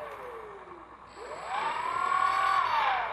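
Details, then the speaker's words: Dynam Grand Cruiser (Cessna 310) RC plane after crash: thin high ESC beeps with short rising-falling whine as motor tries but fails to spin; bad ESC or motor or both suspected, not confirmed; prop shaft looks straight. "I don't know if we got a bad ESC or a bad motor or some combination therein"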